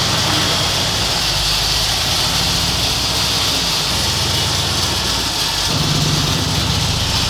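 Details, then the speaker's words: 1986 Ford F250 just after ZF5 transmission swap: loud harsh metallic grinding over the idling engine; owner suspects starter hanging on the flywheel, cause unconfirmed. "It is really making a lot of noise, but it did move though. Yeah, man, I don't know what the hell that noise is."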